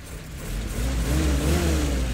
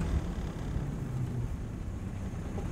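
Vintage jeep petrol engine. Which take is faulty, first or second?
first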